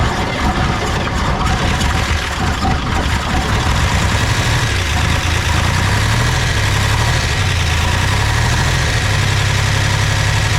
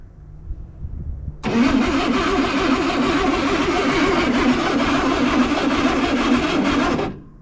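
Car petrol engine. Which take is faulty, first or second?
second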